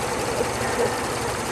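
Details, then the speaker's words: Geo Metro at idle: faint, intermittent rubbing chirp about every half second as the belt rubs its plastic housing, the only thing keeping it on; it needs a new tensioner. "and now it's off you can hear my tiny goal we're we're we're up rubbing against the plastic housing that's the only thing keeping the belt from flying off it needs a new tinge"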